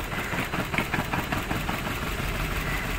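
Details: Maruti Suzuki Baleno petrol with check engine light, vibration and poor pickup: rough uneven idle with irregular stumbles as cylinder 4 fails to fire, from a faulty ignition coil.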